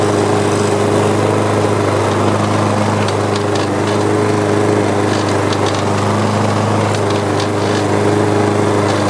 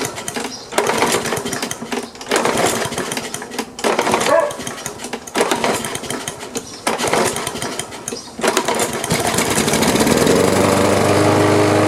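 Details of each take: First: Free older Troy-Bilt mower with an OHV engine and metal carburetor, heavily carbon-fouled, run on a little gas: steady, even single-cylinder buzz without misses or surging. A rattle was blamed on a loose cover. Normal running. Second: Free older Troy-Bilt OHV mower with a metal carburetor, fed carb cleaner and barely any gas: several pull-start strokes, then it catches and drones steadily, puffing a big cloud of black smoke, and runs a while. Hard starting.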